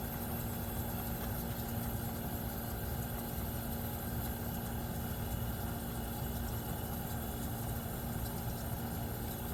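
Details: 1973 Westinghouse 25-pint heavy-duty dehumidifier, just acquired after sitting in a cabinet shop, running normally with frost on the evaporator: steady even hum, constant low drone and fixed tones from compressor and fan; sealed fan motor starting to slow, needs oiling.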